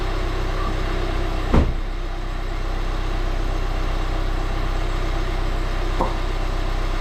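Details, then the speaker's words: Volvo V40 D2 D4162T diesel idling just after repair of a broken cambelt (new cambelt, camshaft, rockers, cam sensor, diesel filter): steady, even idle with a smooth low drone and no knocks or ticks; normal. "guys, that was the cambelt, new cam sensor, new diesel filter, new rockers. Sounds like a diesel."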